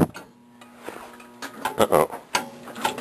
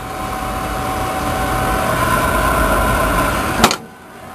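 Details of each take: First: Lowboy oil furnace in a crawl space, just fitted with a new burner motor and a reassembled oil-swollen coupler: low motor hum cuts out early, then uneven clunks and scraping; motor binding, squirrel cage too tight against the motor. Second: Lowboy oil furnace in a crawl space after a new burner motor was fitted and the squirrel cage moved back off the motor: steady burner roar for a few seconds, then it drops away with sharp clicks; lights and fires, described as a dirty flame.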